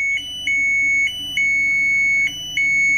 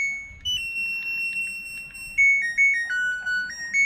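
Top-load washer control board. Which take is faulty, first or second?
first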